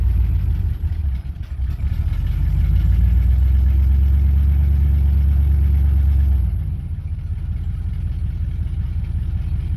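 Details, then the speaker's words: 1995 Ford F-150 4x4 V8 revived after sitting, coolant topped off: deep, steady rumble with an even beat that settles slightly lower after a few seconds, with no hammering. Smooth, normal idle. "effortlessly watch. Wow. No hammering action, no nothing."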